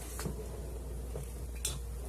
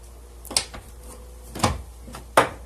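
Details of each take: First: 2005 Toyota Sienna door after fitting a new Dorman 924-147 door check assembly: door swings open and shut with only soft dull thuds, earlier popping completely gone. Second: 2005 Toyota Sienna door before repair: sharp, hollow pops while opening and closing, from a worn door check strap; fixed by replacing the door check assembly.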